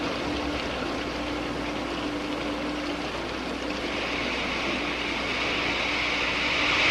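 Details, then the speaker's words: Water flowing through a venturi discharging to atmosphere; as flow rises the throat reaches about 20 inHg vacuum and steam patches form. Rushing water with rising crackly hiss as the collapsing cavitation bubbles stress the wall. "patches that form are actually steam this is cavitation when the absolute pressure goes below the vapor pressure of about one inch of mercury boiling occurs the water changes cysteine and the subsequent collapse of the bubbles which you can hear creates enormous stresses in the wall"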